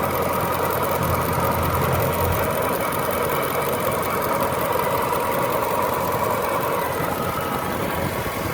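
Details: Jaguar S-Type R at idle: fast, uneven light tapping rides over a steady idle, clearest in the middle; a top-end tap of unknown cause.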